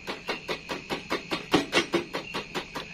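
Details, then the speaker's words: Honda Vario scooter with a new battery, ignition on: rapid repeated clicking, about five a second, with no cranking, like a weak battery; starter relay clicking, no crank. "dia hanya bersuara cecak nah begitu dong padahal ini aki baru ya ya kayak aki lemah"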